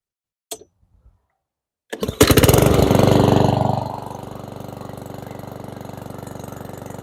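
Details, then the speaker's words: Certified 150cc lawnmower engine started right after an oil change: after a short pull it catches, revs briefly, then settles into an even, steady putter with no misses and no exhaust smoke; running okay. "I like that there's no smoke that came out the exhaust, and seems to be running okay."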